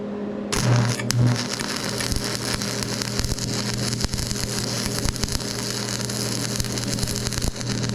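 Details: Old used welder on DC positive at 90 amps, cooling fan sounding good: steady crackling sizzle with low hum underneath, even and unbroken; clean, stable arc, welds perfectly.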